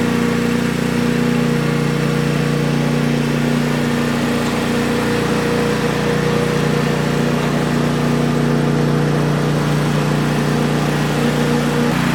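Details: Brand-new DR Power Pro XL30 field and brush mower on its first start, before break-in: a steady, even single-cylinder chug at a fast regular beat with no misses or knocks. A normal idle.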